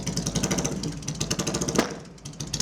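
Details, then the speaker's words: Classic motorcycle running: loud, uneven engine with irregular sharp pops and bangs through the exhaust; the owner suspects dirty old fuel. "oh popping and banging I think we'll give that one a rest for now okay so uh yeah it starts it's probably got some dirty old fuel in it but this is ridiculously loud"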